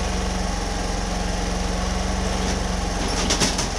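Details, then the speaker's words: Homelite HG600 small generator after fuel pump clean and new gasket set, started on choke, green light on, full volts: small engine thrums fast, even and steady with no surging or hunting; settled, healthy smooth run. "so it's running green light on yeah volts all the way up no wall light on"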